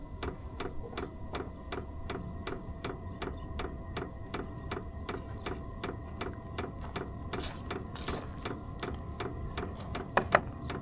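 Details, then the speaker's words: Vevor 5kW diesel heater fuel pump starting up, before a planned swap to a quieter pump: sharp, steady ticks about three per second over a faint fan hum. Noisy fuel pump ticking. "Hardly any noise from the muffler, but you can hear the fuel pump in there clicking aw"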